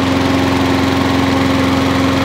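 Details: Wolf 21-inch lawnmower, warm after 3–4 minutes running, restarted after primer bulb suspected as the fault; steady, even single-cylinder putter with clean hum, no hunting or misses; normal warm idle.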